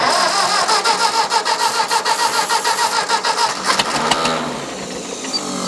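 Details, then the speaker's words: Old Ford tractor (said to be an 8N), after ether: steady cranking pulses about 200 a minute for three seconds, then breaking into a free whir as the starter kicks out; carburetor also needs work. "Yeah, you're right about that starter. When it cranks, it kicks out."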